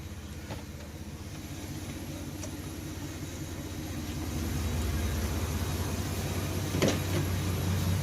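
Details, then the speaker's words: 2001 Chevy Blazer 4.3 V6 4x4 after replacing bad alternator (was charging only about 13 V) and new belt: low, evenly spaced pulses, no squeal or knock. Smooth, healthy normal idle. "there you go smooth sounding burn like a kitten brand new belt as well"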